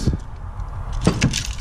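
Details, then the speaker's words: Failed alternator removed from a Buick Grand National; the brushes grenaded and internal connections burned. Irregular light clinks and rattles come from loose broken plastic and spring pieces as it is shaken and spun: loose debris rattle. "I am dying to find out what the hell's in there cuz you can hear and if I shake it and spinning at the same time look at little chunks"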